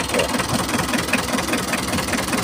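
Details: Mitsubishi L300 diesel with a rough idle, low power and high fuel use: uneven, clattery idle with loose, irregular knocks as the injector lines are cracked open one at a time; cause not yet found at this point.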